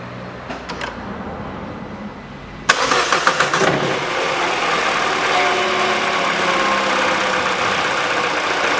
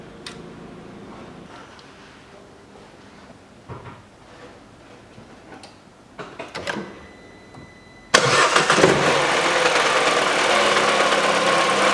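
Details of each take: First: Peugeot 408 2012, 1.6 petrol, automatic, FWD, 87,000 km: after replacing the stretched accessory drive belt (DAYCO 6PK900), the engine starts after a short crank and settles to a steady idle with no knock, rattle or belt chatter, where the old belt had made the noise. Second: 2012 Peugeot 408 1.6 petrol automatic, FWD, 87,000 km, cold idle: loud regular tapping about four per second from the wobbling drive belt tensioner roller. The stretched belt lets the tensioner travel about 7 mm to its stop. Fixed with a new Dayco 6PK900 belt.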